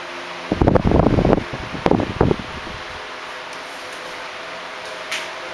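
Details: 1976 Electrohome 30 cm (12-inch) desk fan, four clear blue pitched blades, on high speed: brief handling knocks, then an even airy whir with no rattle, tick or scrape, running smoothly.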